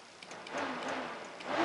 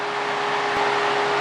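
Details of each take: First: 2001 Honda 450 ES Foreman ATV with a failing cooling fan: flexing the fan control module makes the fan whoosh on and off and relays click inside; bad internal connection in the potted module. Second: 2001 Honda 450 ES Foreman after the oven repair of the cooling fan module: the fan, triggered by heating the sensor, runs with a steady, even whoosh and faint hum, no rubbing or ticking, then shuts off on its own as it cools.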